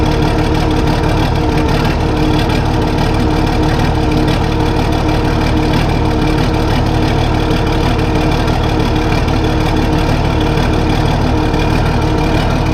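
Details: Case 1450B dozer with freshly rebuilt diesel engine, running after reassembly, oil pressure coming up to about 40 psi: steady, even idle with a deep low rumble and no knocks or misses.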